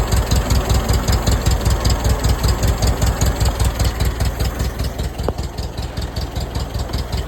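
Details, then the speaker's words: 1947 Case VAH loader tractor bought for $300. It shows 10 on charging and 15 lbs oil pressure, and the temperature gauge hasn't moved. Even, steady low chuffing about two and a half beats a second; it idles smoothly. "Yeah, can't complain about that at all. Well, there you go, YouTube. $300 tractor and it runs."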